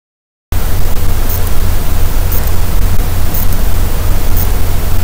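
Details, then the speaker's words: ESP32 board in a walkie-talkie build recorded by microphone while transmitting WiFi: a constant low hum with faint sharp ticks about once a second. Power rail checked fine on the scope; audible board noise is suspected, and lowering WiFi transmit power may help. "i listened really carefully and i can actually hear noise when i transmit wi-fi so i've managed to capture it using my microphone and here's what it sounds like"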